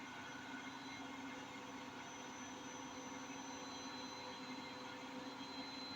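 Steady heavy roar, almost like a passing train, building through a high-speed spin; it points to worn drum bearings but isn't confirmed. Cause suspected, not confirmed.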